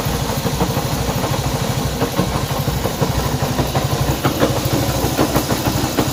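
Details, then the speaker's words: Honda CB190R single at steady idle with an irregular light ticking riding over it about three times a second; unusual engine noise, cause unclear. "Bien, aquí tenemos una CB190R y el problema que tenemos acá es un ruido extraño que tiene esta moto."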